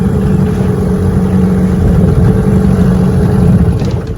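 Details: 1996 Johnson 15 hp outboard, which leaked gas from the carburetor bowl and ran as if choked, after the carburetor fix: a steady, even fast idle with no stumbling or surging; normal running.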